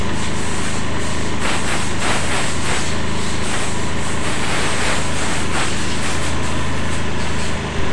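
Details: Honda Beat eSP scooter after fixing a corroded relay terminal that stopped battery charging (ECU wrongly blamed): steady, even low putter at idle with no misses, knocks or rattles; engine running healthy.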